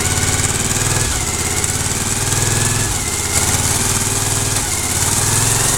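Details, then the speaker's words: 2003 Suzuki SV1000 V-twin with about 24,000 on the odometer, started and run through the gears: steady even idle with loose rhythmic lope, no knocks, rattles or banging; motor sounds healthy. "through all the gears and especially wine you see the bison blower motor sounded good I didn't hear anything wrong with the motor I didn't hear any banging or anything"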